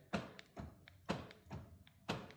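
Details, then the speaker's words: Rover 75 door lock actuator heard thunking softly about once a second inside the door on unlock, but the lock pin doesn't rise while the others do; the actuator is failing and will be replaced with a used lock. "I don't seem to I mean you can hear it in the door but just not Yeah."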